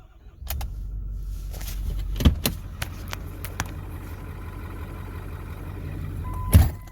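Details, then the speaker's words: Ford 6.4 Powerstroke diesel after injector replacement, run with glow plugs, no fault codes shown. It catches and idles low and lumpy with uneven thumps. Rough running; an injector problem is suspected but not confirmed. "I'll even run the glow plugs because don't think it's gonna help but let you guys hear what this sounds like it sounds like dog"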